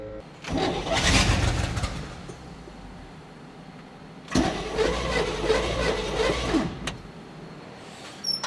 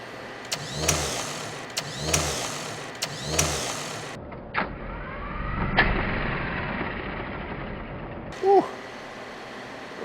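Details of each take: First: 1970 Chevrolet K10 4x4 pickup, four-barrel V8, abandoned 26 years, with a fresh replacement starter after the old one proved bad: two brisk, even cranking bursts spin it strongly and nearly fire. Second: 1970 Chevrolet K10 4x4 pickup abandoned 26 years, first start on jump pack: three cranking bursts, then fires and runs roughly a few seconds before dying, catching only on primed fuel.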